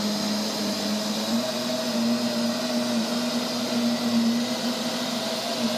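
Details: Neato robot vacuum, used fewer than 30 times: loud steady droning whir with low hum and higher tone over airy rush, loud noises at random intervals and lengths, cause unclear: intermittent loud noise.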